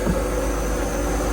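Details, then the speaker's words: 1987 Marinette 32 sedan flybridge, starboard inboard engine at 1,000 rpm, after the propeller shaft was aligned by adjusting the motor mounts to cure a shaft vibration. Deep steady drone with no thumping; the shaft is smooth, with barely any movement. "that right there is as smooth as butter. There's like no just barely any movement. And that's at I'm sitting at 1,000 RPM right there too, guys."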